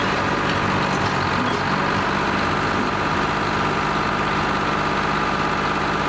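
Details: Lima 34 shovel, just started after a round of repairs, before greasing and digging: steady, even diesel rumble with a regular beat and no knocks or misfires; normal, healthy idle.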